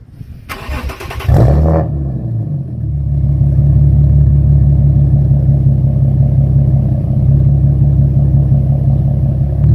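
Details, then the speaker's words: Nissan 370Z with Z1 test pipes, essentially straight-piped, before Motordyne Art Pipes install: cranks, catches and settles into a very loud, deep, droning raw idle; exhaust rasp. "because i believe right now he has z1 test pipes and it's just a straight pipe so it's extremely loud it has some rasp once we add these monodyne our pipes it should eliminate a lot of that rasp"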